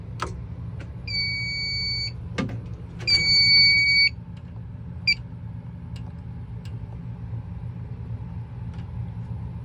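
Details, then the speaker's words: Alarm panel's external power supply unplugged to simulate mains loss: two steady high beeps of about a second each, then a short chirp over a low hum, backlight off, emergency light on; AC power fault trouble beep. "and as you can see backlight won't stay on I forget the key you press to keep it on I think it just presses with every key but as you can see we have an AC fault"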